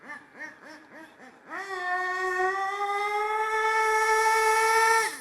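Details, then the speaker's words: HPI Savage 25 nitro RC monster truck on 25% Optifuel race fuel: engine blips then holds a high steady scream without shifting; second gear known not to engage, suspects it's already in second, or slipper clutch loose. "I know second gear is not engaging. Second gear is not working. I know that. It might already be in it. It might already be in second gear. That might be why."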